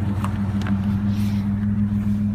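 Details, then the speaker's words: 1992 Ford Explorer with a Saginaw P-style power steering pump (from a 1984 E-150) and remote reservoir, final conversion. Idling, wheels turned back and forth with foot on the brake to load it: steady low drone, no whine or groan, pump barely audible. Quiet after a 10-mile test drive around 2500 rpm. "this is Mo my foot on the brake you you can barely hear it at all"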